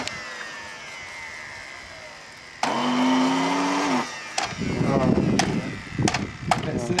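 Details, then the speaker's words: Dyson vacuum cleaner motor, already seizing and burning through brushes, restarted after soaking with water: it spins up to a short whine, sags within a second, then crackles and pops. Water ingress kills the motor quickly. "It's gone. Wow. That killed it quickly."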